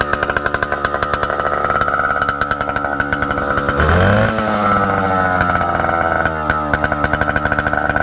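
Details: A 1960s Solo 626 70cc two-stroke chainsaw, long unused and not yet serviced or carb-cleaned, makes a crisp, rapid buzz that blips up cleanly and settles back without misfires or stumbling. It runs strong.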